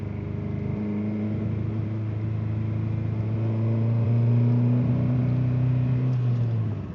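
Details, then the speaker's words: Engine pulling under light throttle in first gear: rough, stumbling exhaust with irregular popping from a severe misfire, check-engine light blinking (possible catalyst damage); loose timing belt tensioner pulley also vibrates below 2,000 rpm. "Now I'm misfiring. Pop, pop, pop."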